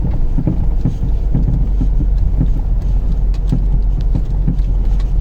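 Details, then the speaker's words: Renault Scenic 2 driving after frost eased: irregular dull thumps through the floor from front-right suspension over road rumble, worsening over 2–3 days; owner ~90% suspects loosened nut on stabiliser link. Cause suspected, not confirmed. "И стучит так, как будто там подрамник оторвало. Но нет, процентов на 90 я знаю, в чем проблема. А проблема, скорее всего, в том, что открутилась гайка на этой стойке стабилизатора, на косточке."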